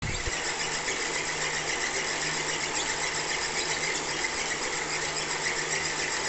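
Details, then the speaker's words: Elite Suito bike trainer used six months: sharp high squeak about twice a second in time with the flywheel, from the sealed bearing at the back where the plastic race guard shed small plastic particles. "it's like a lot of sealed bearings that is where the squeaking was coming from"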